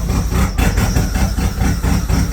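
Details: Turbo Chevrolet Cavalier with welded-up exhaust, started after plug wires were swapped: low, lumpy idle with uneven thumps about twice a second, misfiring; the wires are suspected to be mixed up.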